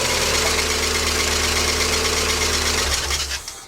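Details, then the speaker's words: Mazda MX5 at startup: harsh rubbing, scraping hiss over the idle from a frayed auxiliary belt that drives the power steering pump and A/C compressor. Something on the belt drive locked up without snapping the belt, which now needs replacing. "But yeah, the belt is not in a good way at all, as I shall now demonstrate when I start up the car."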